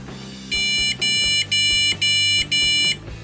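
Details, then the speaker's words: PC powering up after a suspected one-long-two-short VGA error: five even high beeps, about half a second each, then quiet; normal power-on beeps, board boots into BIOS fully functional, just nothing to boot from. "five beeps now Now ladies and gentlemen that was not a post code"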